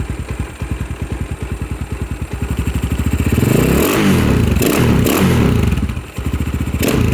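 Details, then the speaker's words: 2022 X-Pro Templar 250cc single, 5-speed, newly installed Nibbi PE30mm carburetor, warming up: uneven thumping idle with a blip, sounds slightly lean; air screw turned to richen, now at three turns. "yeah he looks he sounds like he sounds like he's just a little bit uh lean so I can bring that in the air to the right to make [Applause] it to make it more rich"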